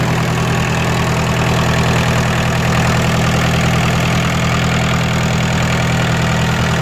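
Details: Kubota L3202DT four-wheel-drive diesel tractor, used, engine never opened up; steady, even diesel idle with a firm low thrum and no knocks or misses; normal idle.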